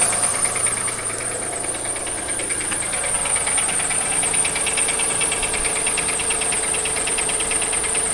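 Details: 2003 Acura MDX V6, 208K miles, misfires on all six cylinders: idle with a steady deep metallic knock about three a second and top-end ticking; dealer suspects wrist pin or rod bearing, owner a jumped timing tooth; valves need adjusting, timing belt overdue.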